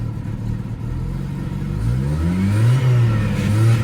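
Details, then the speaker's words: Mercedes CLK200 C209 petrol idling: humming from an aftermarket fuel filter plus an uneven, stumbling lumpy idle whose pitch creeps up slightly; an engine misfire, earlier coolant level switch fault repaired. "humming from the fuel filter, which is what happens when you use an aftermarket fuel filter on a Mercedes CLK. And then this lumpy idle."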